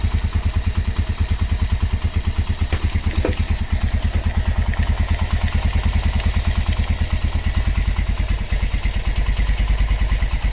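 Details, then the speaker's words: Honda GL Max Neotech single-cylinder engine after restoration/rebuild: even deep idle near three beats a second, no top-end clatter; normal idle. "Oke, itu dia hasil peremajaan mesin Honda GLmax Neotech. Untuk suara mesin silakan didengar sendiri ya."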